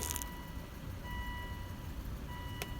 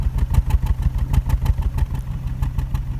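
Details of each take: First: 2005 Volvo V70 after spark plug/ignition coil replacement for a misfire code, codes erased: low even smooth idle with no stumble or skip; permanence of repair still uncertain. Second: 2005 Volvo V70 petrol at idle with misfire code and check engine light: uneven lumpy rough idle from misfire; spark plugs and ignition coils to be replaced.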